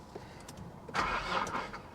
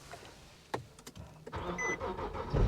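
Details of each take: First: 2010 Infiniti G37(S) manual, salvage-auction car listed as run-and-drive, on a jump pack with 12 volts present: a short burst of starter cranking that never catches; crank, no start. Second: 2010 Infiniti G37(S) manual on a jump pack, after an earlier failed attempt, now started with the clutch pressed: a few quiet clicks, then the engine catches and rises into a steady idle; normal start, exhaust needs work.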